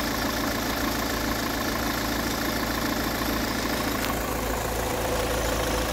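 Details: 2011 Peugeot 508 2.0 HDI 163 hp diesel, 224,000 km, idle after a few km driving: clattering beat under a faint steady high whistle; silent when cold, whine grows once warm; owner suspects camshaft chain between the two cams, not confirmed.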